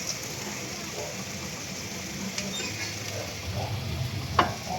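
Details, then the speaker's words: Honda City, front coil spring area heard as the steering wheel is turned: faint scraping creaks and a sharp metallic click; owner also reports knocking over potholes; noise confirmed coming from the coil spring. "Nakakasigurado na ako mga boss na dito nga sa coil spring galing yung ingay pag niliko ni customer yung manibela."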